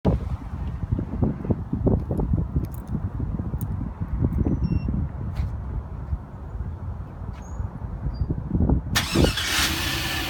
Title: Viper 790 XV. No start